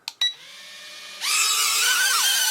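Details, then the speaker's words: Potensic A21 mini battle drone, take-off button pressed after binding: quiet at first, then a sharp high buzz kicks in and holds with a slightly wavering pitch as the motors spool up; healthy spin-up. "also again to take off all we need to do is press this take off button"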